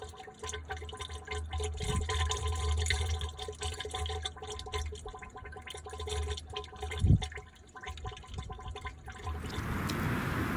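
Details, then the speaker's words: 1975 Autocar truck with engine off, after new hoses and belts: uneven gurgle and trickle as air bubbles into the radiator coolant; blocking the shutterstat changed nothing, cause unknown, owner checking the air compressor discharge line. "I did notice an issue yesterday. I'll put a clip here. Getting air bubbles in the radiator when the truck is off."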